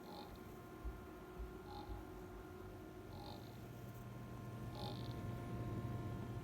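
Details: ASUS RTX 2080 Super graphics card fan noise: steady whirring tones with a faint chirp about every 1.5 seconds; abnormal fan noise, cause not confirmed.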